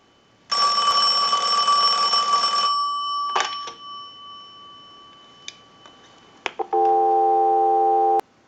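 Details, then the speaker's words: Western Electric Princess telephone, final checkout after repair: analyzer ring burst for about two seconds, then after a pause a steady even dial tone; all healthy. "We'll let that go a few times. I'll let it go one more time and we'll give you some dial tone."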